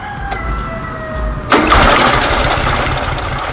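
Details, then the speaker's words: VW Super Beetle Volksrod, cold start, carburetor without choke, after drying a wet distributor cap: catches after about 1.5 s into an uneven, loping idle; still shaky, likely a cylinder not firing; loose alternator pulley also knocking. "oh yeah that was it that sounds a lot better still idling a little shaky"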